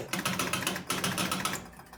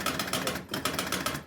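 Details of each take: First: Jumping Jack pinball machine after cleaning switches on the W relay and a stuck-open bank of score reel switches; rapid relay and reel clatter then loud knocker bangs: normal game start sequence. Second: Jumping Jack pinball machine; rapid mechanical clatter in bursts about every 0.8 seconds: outhole kicker circuit, shared with the pop-up reset, keeps cycling but never ejects the ball.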